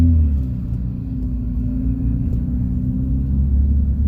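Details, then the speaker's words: High-mileage BMW 335i at idle: deep, loud droning rumble with a raspy low throb; both catalytic converters cut out after one clogged, resonator and exhaust kept; owner considering catless downpipes. "the reason why the car is so loud it it the video does not do it justice the reason why it's so loud is because I cut out both cats because they were both no actually one of them was clogged"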